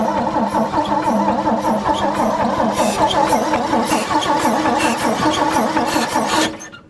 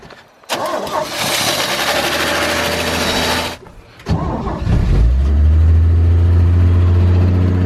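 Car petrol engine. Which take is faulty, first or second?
first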